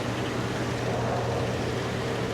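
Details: Chevrolet Silverado after AC repair, engine running: smooth steady hum with constant low drone, no knocking, squeal or grinding; AC compressor running normally, no leaks, pressures correct, cold output.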